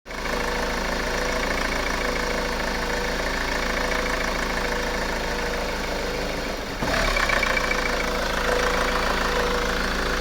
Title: Honda Accord 2.2 ctdi rough idle